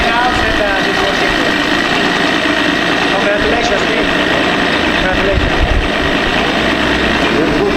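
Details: Parsun outboard engine idling steadily and evenly with no misses, after fixing fuel pressure and a valve fault and replacing a damaged spark plug that had caused unstable running and misfire.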